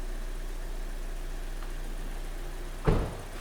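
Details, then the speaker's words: Kia Sportage 3, G4NA petrol engine, after repair: oil drained and refilled, level set, antifreeze topped up, restarted. Owner had reported a cold knock and oil consumption. Smooth, even idle hum with no ticking or knocking, one door thump; normal idle. "Масло слили, залили, уровень выставили, антифриз добавили, запустили."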